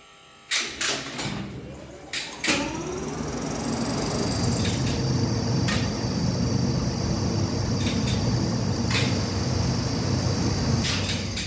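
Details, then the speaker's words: 1969 Schindler lift AC motor in the motor room: relay clicks, then the motor hum rises in two acceleration stages before settling to an even run; this is a normal star-delta start that limits starting current. "the motor has two acceleration sounds when an AC motor is not spinning connecting it straight to power will demand too much current"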